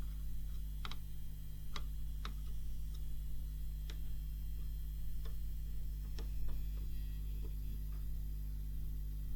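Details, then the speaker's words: Seiki SE40FO04UK LED TV that has buzzed for over a year: a steady low electrical hum with faint ticks from the transformer on the main AV board. It persists after the transformer was damped with Blu-Tack. "well I don't think it was a success I could still hear the buzz damn BlueTEC put so much blue tack on there looks like a mountain now but it didn't work"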